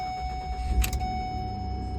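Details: 2009 Ford Escape after replacing the faulty ignition switch housing that had caused a no-crank: short crank, and the engine catches at once and settles into an even low idle. Normal crank and start.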